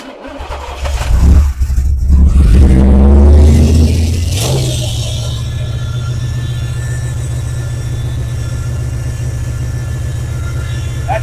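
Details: 1982 Chevy El Camino, after adjusting its Holley 750 double-pumper carb with mechanical secondaries: quick crank, catches at once, a short rev blip, then a steady, even idle with no misses. Timing is about dead on; it runs healthy.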